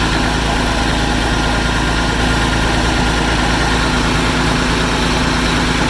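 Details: Massey Ferguson 550 diesel tractor, first start since 2019 after bleeding fuel to all five injectors and ether at air cleaner; even, steady deep idle, no knocks or misses, running healthy.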